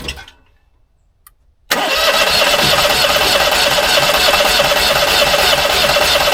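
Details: 15-year-old Onan 5500 RV generator, unused at least 6 years with bad gas, carb cleaner used: short burst then steady fast cranking about three turns a second that never catches; cranks but won't start, cause not confirmed.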